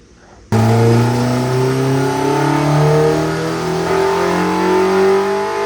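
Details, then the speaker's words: K-swapped Mazda Miata with Honda K engine, full-throttle pull during tuning after fixing VTC cam-angle valve problem that had cost about 35 whp; pitch climbs steadily, VTEC crossover less abrupt and quieter with only a mild step; smooth, clean crossover. "Yeah, you could hear when it came in, it wasn't as abrupt or as loud."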